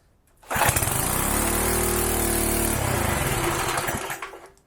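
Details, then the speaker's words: Small-engine pressure washer, used about a month then stored in a shed roughly 15 years: catches quickly, settles into a steady busy buzz, then winds down cleanly; starts and runs normally. "yes we got it that is awesome this thing hasn't run in like 15 years that's fantastic"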